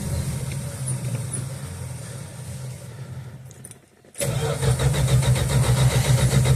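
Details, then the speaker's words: 1969 Dodge Dart/Valiant, sat 6 months with 10% ethanol gas, primed; starter cranks at steady rhythm, pauses, cranks again without catching; carb bowl empty, accelerator pump delivers nothing: cranks but won't start, fuel starvation. "Yeah, that's pretty much what I thought. There's no fuel in the bowl yet. If I actuate the accelerator pump, ain't nothing get in there."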